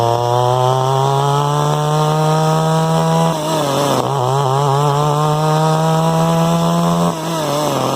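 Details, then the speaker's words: Echo SRM 2100 two-stroke trimmer just after replacing carburetor, fuel lines, purge bulb, filters and spark plug; high buzzy note sags and hesitates on each throttle blip; owner suspects low-jet carburetor tune needed for bogging. "So we might fuck around with the low jet because it sounds like it's bogging down when I hit the throttle, so it might need a little carburetor tune."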